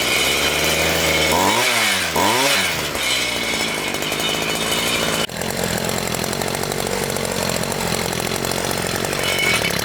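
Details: Homelite 26cc two-stroke mini tiller after carburetor cleaning, tank cleaned of gum and refilled with fresh fuel: blipped a couple of times, then holds a steady high buzzing run without stumbling; runs healthy.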